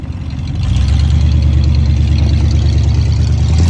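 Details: 1992 Ford F150 XLT after replacing the throttle position sensor (TPS) on the bottom of the throttle body to cure hard or no-start issues: steady, even low rumble settling into a smooth idle with no misses or stumbles; running normally.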